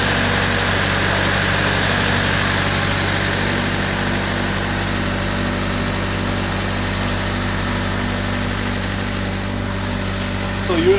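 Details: 1999 Honda Civic coupe after oil temperature sensor replacement, fresh coolant and new spark plug wires following overheating; steady even idle hum, smooth low drone, no knocks or misses, idling while warming up; normal idle.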